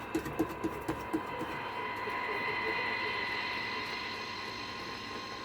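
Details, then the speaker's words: Pilot TR-80 transistor radio, tuning with a slipping dial pulley: a few quick clicks, then a steady whistling buzz over reception; interference from a nearby switch-mode power supply. "Switch mode power supply there interfering with it."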